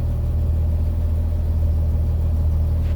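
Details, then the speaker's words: 1954 Chevy truck, ex-farm truck, engine started and idling: a deep, steady low rumble with an even beat and no knocks or misses; it runs nicely, doesn't overheat and holds good oil pressure. "Thing starts and runs really nice, doesn't overheat, sounds good, carries good oil pressure."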